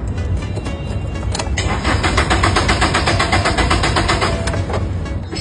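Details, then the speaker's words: Car that was running then suddenly died; starter cranks the engine evenly but it never catches, no spark found at ignition test; no-start. "you boss it won't start any idea why let's check under the hood cars usually won't start for two reasons no spark or no fuel"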